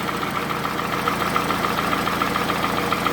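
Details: Toyota Camry, 2AZ gasoline engine, 220,657 km, smoke from under the valve cover; recorded by the running engine: sharp, regular knocking about three to four beats a second over a steady idle. Cause not determined.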